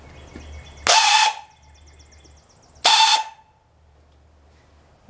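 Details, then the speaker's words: Hechinger (MTD) riding tractor, weak starter cranking: two short half-second spins, each a harsh rough whir with a thin whine, silence between; owner suspects bad starter bearings, not confirmed. "sounds like it probably is bad bearings let me easily okay so it's really starters"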